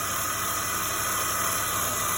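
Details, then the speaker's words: 2005 BMW X5 3.0 (E53) at idle with a newly fitted remanufactured alternator: steady high-pitched whine and hum that never changes pitch; the new alternator is defective. "And you can see it's making a whining, humming noise. So what we learned is this new alternator, which was a remanufactured alternator, is defective."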